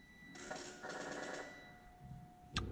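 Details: Triumph Rocket III, idle speed control valve reset via TuneECU after setting TPS to 0.72 V: quiet buzzing stepper chatters in short bursts with a faint steady tone, then stops; normal ISCV reset cycle.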